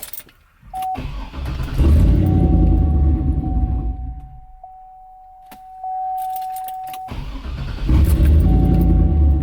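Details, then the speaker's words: Turbo LS V8 truck with 3-bar MAP sensor, HP Tuners calibration just written from stock file: keys jingle, engine catches, runs briefly and dies within seconds; lean fueling won't hold idle, MAP sensor scaling suspected. "all right so now it started and it didn't want to stay running so we might actually get to play with some some idle stuff"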